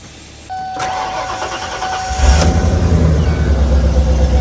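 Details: 1996 Ford Econoline E-350 van after new OEM Motorcraft fuel pump and filter, 17 gallons fuel: chime, short crank, catches promptly and settles to steady even idle; clean normal start.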